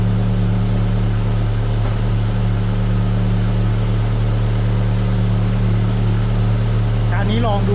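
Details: Car started after the faulty alternator was replaced: steady low engine drone, no whine or chirp from the charging side, sounding healthy.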